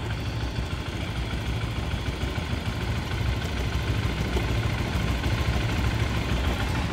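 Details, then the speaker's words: Stock Modenas ZGT (Z15GT) motorcycle, low mileage, at idle: quick steady ticking over the exhaust thrum, same with clutch pulled, seemingly from the head/top set; owner suspects piston or connecting-rod bearing. Engine ticking at idle. "Bunyi dia macam dekat head. Aa bunyi dia macam dekat daripada top set. Top to top to top."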